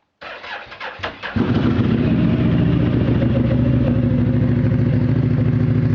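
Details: Mitsubishi Outlander at cold start: brief cranking, engine catches, then an uneven, lumpy idle with light clatter; rough idle at cold start, cause not yet clear.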